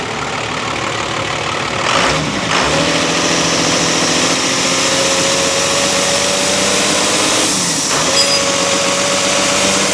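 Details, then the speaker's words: Diesel just started after cracking and closing fuel lines: uneven idle with loud steady hiss over the engine; sounds like a terrible boost leak. "D got a terrible boost leak it sounds like she's running now"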